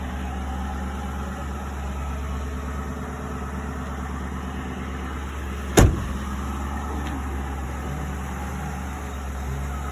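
Steady idle with a fast, fluttery low puffing under the engine note; it sounds like exhaust escaping somewhere, source not pinned down.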